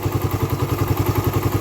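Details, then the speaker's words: Raider 150 carburetor motorcycle, fully warmed up, idling: even fast clatter about eleven beats a second from the head, silent when cold; owner suspects compression release or tensioner, unconfirmed. Top-end ticking when hot. "pero hindi natin masabi kung ano yun e kasi bakit ganon pagka malamig tahimik naman siya kapagka uminit na siya"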